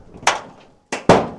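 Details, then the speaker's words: Squarebody Chevy/CUCV truck door at full open: a couple of sharp metallic clunks and a short squeak from the dry door check, its small metal wheels on a bent rod; fix is lubricating it. "All right, now the other trouble is the noise when it's all the way open."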